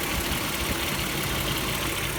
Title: Clicking noise - bad water pump? (MKIV 12v Vr6)